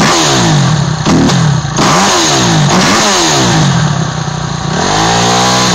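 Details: 2008 Kawasaki KX250F single after overhaul: sharp throttle blips rising and falling cleanly with no knocking or rattle underneath; responds crisply and sounds healthy.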